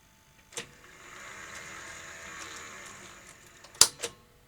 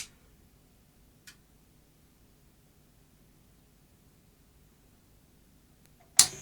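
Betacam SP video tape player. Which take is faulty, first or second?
first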